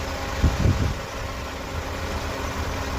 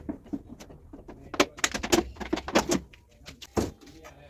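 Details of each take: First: Engine rebuild, first start after the timing was redone several times: steady, even low idle with a smooth, regular beat and no tappet noise heard any more, only the louder fan; the engine sounds healthy. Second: Volkswagen Golf Mk1 with first-time home-rebuilt engine, first start attempt: starter churns about two seconds but engine never catches; fuel pump silent, no fuel reaching engine, relay to be checked; crank no start, no fuel delivery.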